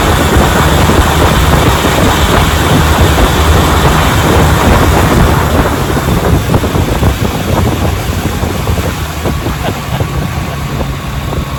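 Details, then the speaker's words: Restored 1957 Johnson 10 hp QD18 outboard with rebuilt carburetor and magneto, lake test on a boat: under heavy wind buffeting, a steady high-revving full-throttle drone without misses; sounds healthy. "So let's give her the gas and watch her run. She's a hat puller downer."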